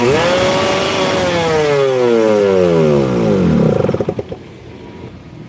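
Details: Motorcycle hard to start, dying when throttle is blipped but fine with gentle throttle, sputters near 80, many prior workshop visits unresolved; revs up, note sags, stumbles into uneven pulses and dies; stalling when revved.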